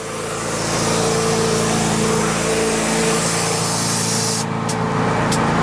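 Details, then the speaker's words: Detroit Diesel air-start unit, starter pressed while the tank was not yet at the 60 psi needed to crank: steady loud hiss of escaping air over a low drone on one side; air leak in the air-start system. "all right here coming out I hear air on this side"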